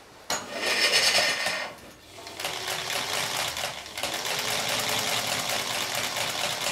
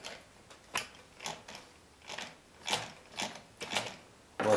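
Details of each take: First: Chaika-2 sewing machine after its cracked nylon half-gear was replaced with a metal one and the gear mesh adjusted: runs with a light, even, quick ticking and no clatter or grinding; gears now mesh quietly. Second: Chaika-2 sewing machine after replacing a cracked nylon half-gear with a metal one, turned slowly before run-in and gear adjustment: sharp evenly spaced rasping clicks about twice a second; new gear binding in mesh.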